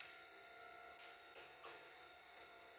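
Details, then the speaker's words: Rhythm portable oxygen concentrator powered on by holding the button one second: a beep and soft clicks, then faint steady hum and even quiet run; normal running after power-on. "Using your rhythm concentrator, here's your power button, which is button hold in for one second. It'll beep. You'll hear a click. and the unit will start to"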